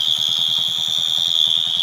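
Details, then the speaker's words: Motorcycle idling after wiring repair, new fuse box and battery connection; piercing continuous high buzz over the quick putter of the idle from the failed flasher relay, which is being replaced with a new one. "దీనికి కూడా problem ఉంది, తీసేద్దాం. మనం కొత్త relay పెడదాం. ఈ relay పోయింది, ఈ రిలే కట్టేద్దాం కొత్తది."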